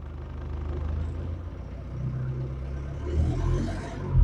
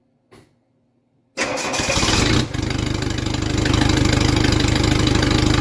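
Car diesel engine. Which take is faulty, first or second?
second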